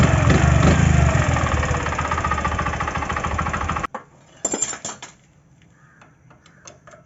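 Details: Bajaj Platina 100 single-cylinder motorcycle at idle: steady clatter about four per second over the exhaust beat from a worn camshaft bearing, before camshaft bearing replacement.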